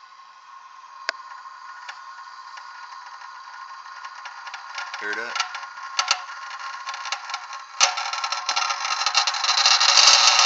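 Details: Heat press, possibly a Workhorse model, after its fried relay and parts were replaced: a few sharp clicks then a fast rattling buzz of clicks as the relay cycles off; owner unsure whether this relay chatter is normal.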